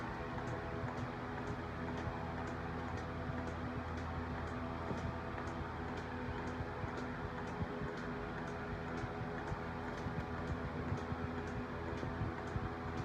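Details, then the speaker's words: Milking machine on a cow: crisp, even ticks about twice a second over a steady low hum; the pulsator is cycling normally. "the next step in milking is to put the milk on and how the velcro works is there's the ticking sound that you can hear maybe you should be able to hear that but so that's the pulsator"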